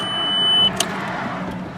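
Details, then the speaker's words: 2003 VW Passat GLS with manual transmission: a high chime beeps, then the engine fires at once and runs on with an even, steady hum, no misses or rattles; normal cold start. "all right and as you can see there starts right up"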